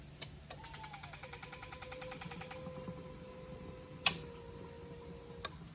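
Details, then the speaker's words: 6.1 Gen3 Hemi V8 with EZ-EFI V1 fuel injection, main switch turned on: quiet buzzing whir with rapid pulsing clicks for about two seconds then a steady hum; normal fuel pump priming. "can hear the pump fire."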